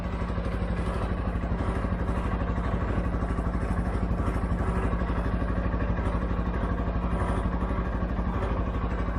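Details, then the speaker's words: 2013 CFMOTO Z Force 6 after fuel pump change (45 psi): steady even low thump at idle, regular beats, no misses or knocks, running well though probably low on fuel. "There it is. It runs. Runs really good."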